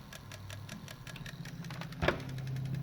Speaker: So the radio which works, but the disk is doing what you can see is trying to read, making this noise.